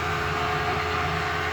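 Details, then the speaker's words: VW Thing Eberspächer BN4 gasoline heater after restoration, first fire, shut off with fuel pump stopped and fan cooling: steady even roar with faint whistle, combustion rumble fading out; normal shutdown. "You can hear the rumbling going away, which is the fire inside of the combustion chamber. Rumbling's completely gone."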